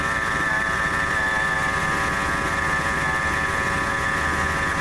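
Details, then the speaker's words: 1997 Ford F150 at warm idle, not a cold start. Steady high-pitched whine over the engine. Laser thermometer shows the idler pulley at 132° versus about 99–115° elsewhere; owner suspects the idler pulley bearing is going bad. "look like the idler pulley with running the hottest out of everything so I would say that's probably the bearing on the that's going bad that's what's mine kind of narrow down my search as to what's making the noise"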